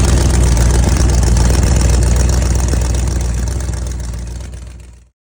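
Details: 1971 Chevy Nova race car, refreshed 383ci small-block Chevy with TH400, first start on E85 with the distributor now locked out: a loud, lumpy big-cam idle pulsing steadily, then the engine shuts off and winds down; sounds healthy.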